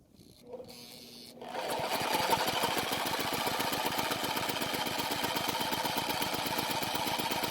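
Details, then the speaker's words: Powermate generator long unused that wouldn't start, test start with a drill and starting fluid, fuel system not yet worked on: small engine runs with a fast thin rattling beat about four a second; low compression, stuck piston rings suspected. "i can only assume the piston rings are stuck and hopefully after running it some more the piston rings will free up and the compression will return to normal"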